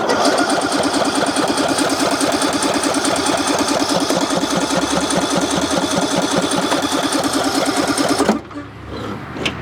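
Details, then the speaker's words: Ariens lawn tractor small engine, after valve work: a rough, uneven beat of about two pulses a second, then it cuts out abruptly. The misfire turned out to be caused by a bad spark plug. "all right um it ended up being a spark plug"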